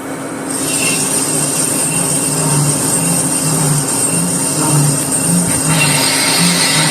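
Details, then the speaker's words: Volvo axle facing cut with high-speed steel tooling: thin high ringing squeal over spindle hum with a rough pulsing sound; light chatter from a fairly heavy cut, nothing terrible. "bit of chatter to that pretty healthy cut"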